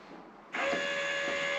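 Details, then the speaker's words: ABS brake bleeding on linked front/rear system, rear brake pedal being pumped: after a quiet start a steady electric buzz as the ABS module's solenoids and pump activate normally. "And the noises are the solenoids and the pump and then activating."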